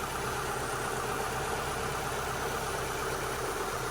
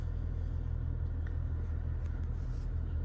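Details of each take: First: 2002 Mitsubishi Lancer four-cylinder, warm after about 5 minutes of running following ignition parts and new O2 sensors: steady, even idle with no rocking or stumble under a garage fan's hiss; earlier roughness possibly pressure-wash water in sensors (owner suspects); normal idle. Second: 2002 Mitsubishi Lancer, first start after ignition and engine parts were replaced: low uneven idle with a loose, lumpy pulse and the engine rocking back and forth; rough idle, cause unknown, owner hopes the ECU is relearning the new parts.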